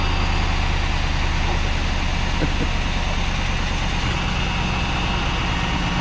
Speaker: it's a runner